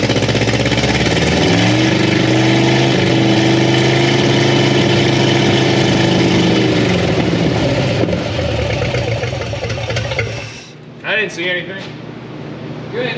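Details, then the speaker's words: 1962 Chevy Impala convertible with a transplanted 307 V8 and 4-speed, stored outside about 50 years, on a brief first start before timing. Now firing on all cylinders, it idles loud with a fast steady valvetrain clatter until shutdown; a sticky valve is suspected. "I still think we got a little uh sticky valve issue there yeah it sounds real clacky right yeah yeah and and I was expecting ing that"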